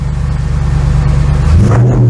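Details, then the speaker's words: 2003 Audi S6 C5 Avant V8 just after its cold start, no dashboard warnings: steady even pulsing idle rises cleanly into a smooth rev with no knocks or misses; healthy. "I don't know if this is coming across on the microphone, but this sounds incredible."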